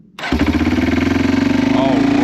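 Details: Circa-2000 Yamaha Timberwolf 250 4WD ATV after a new carburetor, spark plug and kill switch, started with the relay jumped: catches within a second and settles into a quick, steady single-cylinder putter with no misses; healthy start.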